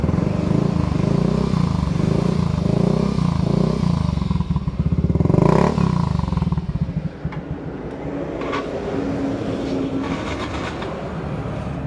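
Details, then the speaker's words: Yamaha Mio i125 scooter after replacing a shattered rear wheel-side bearing: steady idle and blips with even beat, no grinding or whirring from the rear; running normally. "guys guys Okay na po siya umaandar na kanina po kasi Basag ang bearing natin"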